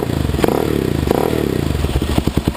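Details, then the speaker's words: Suzuki LTZ/DRZ single-cylinder ATV idling after adjusting the cam chain tensioner bolt: steady low thump with the earlier top-end clicking gone; cam chain properly tensioned. "but you can hear now it ain't even making that clicking"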